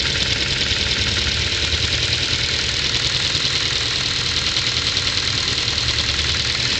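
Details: 2010 Ford Focus 2, 1.6 L 100 hp: light rapid ticking about three per second over steady cold idle, hissy top end; knock appears after cold start, vanishes when warm; owner suspects valve clearance needing shim adjustment.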